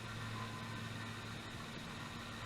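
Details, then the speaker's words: Xbox One S after fan replacement, reassembled and powered on: steady soft whoosh with faint even hum, no rattle or grinding, much quieter than the noisy old fan; normal fan running. "That sounds okay. Definitely a lot quieter."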